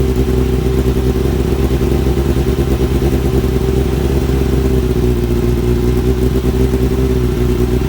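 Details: Kawasaki ZX-7R four-cylinder after carb cleaning for idle problem, warming up: smooth even note answering throttle cleanly, no stumble or misfire; normal revving, more responsive; owner suspects old fuel/debris in idle circuit.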